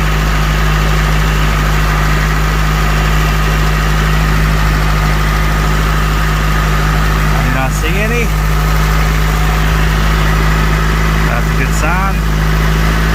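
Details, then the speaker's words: Honda CRX Si started after an oil change, fuel filter replacement and refitting of the air intake tube. Smooth, even idle with a steady low hum, no knocks, misses or hunting, though still somewhat loud from a holed muffler; normal idle. "should be good to go right so far it seems like it's running pretty good"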